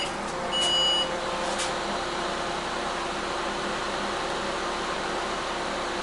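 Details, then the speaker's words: Older microwave/convection oven, complaint not heating and not shutting off: a couple of short beeps, then quiet steady fan whir as it preheats, no rattle or buzz. Normal preheat operation. "Oh, that preheated. That's what that was."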